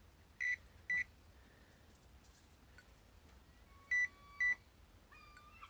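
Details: Metal detector pinpointer gives pairs of short, high beeps with nothing near when turned upside down: a false alarm from a loose, rattling battery under the cap even when screwed tight, fixed by packing cardboard.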